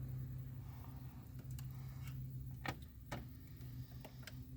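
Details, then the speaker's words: 2004 Ford Focus exhaust secondary check valve solenoid bench-tested with alligator clips on the positive side. Sharp separate clicks over a low hum as it opens and closes repeatedly; the solenoid works. "so I'ma touch the positive side let's see this thing clip here [Music] it works yeah opens close open close"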